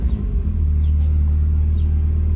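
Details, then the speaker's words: Mazda Miata, cold idle after exhaust line replacement, kept under 3000 rpm: deep, steady low rumble with gentle blips, no buzzing or rattle; raspier than before, when it had a nasty sizzle. Healthy exhaust note. "Déjà là, ça sent que le bruit du moteur est beaucoup plus rauque. Vous voyez, ça fait pas le même bruit qu'avant. Avant, il y avait un espèce de grésillement dégueulasse."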